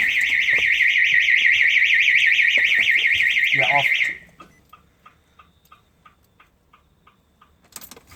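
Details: Mazda FD RX7 with bridgeport rotary during first start-up attempt, wiring to body loom suspect: loud warbling siren cycling about three times a second for four seconds then cutting off; car alarm sounding and hindering the start.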